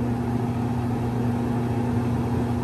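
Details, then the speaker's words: Dryer motor after WD-40 on the pulley and a re-soldered connection, reassembled with door switch and drum: steady even low hum, constant pitch, no knocks or scraping; normal motor running. "all right so now that it's working everything is good all right this motor is working"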